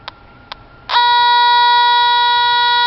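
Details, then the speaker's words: TIF 8900 combustible gas detector at the furnace gas line in a townhome HVAC closet: two short ticks, then a loud unbroken high beep as it maxes out at the top connection. Gas is leaking there, with gas smell in the closet; the bottom connection is normal. "it is maxed out. Again, bottom, normal, top, maxed out. Okay? And there's a noticeable smell of gas in the closet itself."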